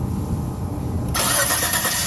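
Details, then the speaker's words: 2005 Suzuki Grand Vitara cranking after starter replacement, the old starter having cranked slowly: brisk, even starter whir with no drag or grinding, much quicker than ever before; normal fast cranking. "Damn, that's a lot quicker. I'd say that was a problem. It never cranked that fast since day one."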